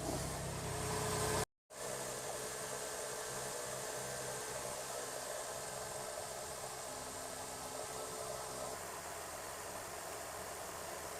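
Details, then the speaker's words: 2009 Toyota Highlander Hybrid 3.3L 3MZ-FE V6 just started after timing belt, water pump and seal replacement: quiet, smooth, even hum after a short dropout, no ticks or knocks; normal warm-up idle. "just put my foot on the accelerator and the engine went on i would just have to let the engine warm"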